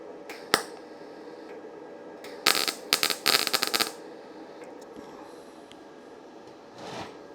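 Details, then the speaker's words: YesWelder FIRSTESS MP200 5-in-1 in MIG mode on 20-gauge sheet with a small gap, though its settings only go down to 18 gauge: short, uneven crackling bursts instead of a steady buzz; arc sputtering, voltage too low and not enough wire speed. "yeah that does not sound right i'm going up in voltage there's not enough wire speed"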